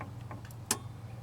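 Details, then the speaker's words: Ford truck with a self-resetting ignition kill-switch relay, engine off, camera close to the relay: one sharp click over a quiet low hum as the key is turned off and the relay releases. Normal relay click. "you can hear the relay click turn the key on find the switch you can hear it click on possibly if you turn the key off you should hear it go off"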